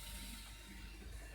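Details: 2001 Toyota Noah, engine off, key ON: quiet, rapid light clicking over a low hum as the injectors fire nonstop; the oscilloscope shows signals on the ECM-to-injector-driver lines, and a bad engine control module is suspected.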